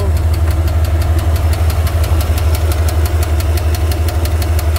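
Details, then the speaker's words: Engine idling with a sharp, even tick-knock about three times a second, worsening after driving hard; owner suspects a loose rod, possibly a stuck lifter or something near the clutch area; oil still to be checked. "I think I think this is going to be maybe the last rod on the engine or something like that that is loose"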